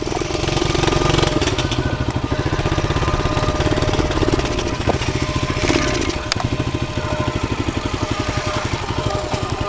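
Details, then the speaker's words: Pit bike at idle just after repairs, missing a few engine mounting bolts, muffler stuffed with duct tape and cloth packing: loud, uneven low thumping with irregular pulses and shake; rough running, owner suspects motor vibration or the muffler, cause unconfirmed. "uh-oh doesn't sound good I don't know what that's all about actually doesn't sound that great"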